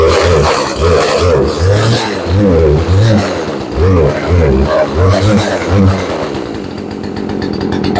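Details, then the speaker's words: Craftsman chainsaw, previously not starting, on full choke early morning: engine surges and sags unevenly, bogging instead of holding steady revs; carburetor needs a tune-up. "Okay, she needs a tune-up, but she sounds pretty good. You can hear it bogging down."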